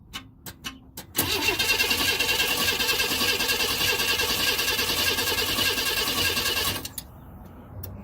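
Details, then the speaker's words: 1992 Chevrolet Camaro RS V6, crank no start: the starter spins the engine strongly for about six seconds but it never fires; it has a new fuel pump, fuel filter, spark plugs, cap, rotor and injectors, and the starter is ruled out. "This is a 92 Camaro RS crank but no start."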